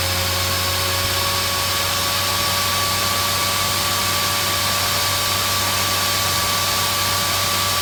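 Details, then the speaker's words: Dell GX280 desktop: steady loud fan roar with whine, fan ramps to full speed after power-on with no POST; caused by CPU heatsink with too little pressure on the left side of the processor. "this thing seems to be quiet although you don't get a post on the screen at all and the fan gradually gets louder"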